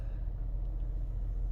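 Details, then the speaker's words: 2016 Ford Explorer 3.5L EcoBoost V6 after spark plug replacement, connector plugged back in and codes cleared: low, even rumble with no stumbles or surging, no longer jumping; check engine light still on afterward. Normal idle. "Oh, she's purring like a kitten now."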